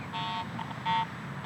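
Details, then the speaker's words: Garrett AT Pro International metal detector swept over mineralized soil above a nickel buried eight inches deep for a year gives three short uneven beeps, ground chatter with no target signal, from improper ground balance. "I'm just getting ground response because I'm improperly ground balanced."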